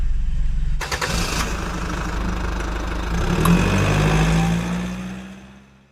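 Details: BMW 318i that previously cranked without starting: engine cranks, catches cleanly and settles into a steady, even low idle with no misses or knocks; healthy running engine.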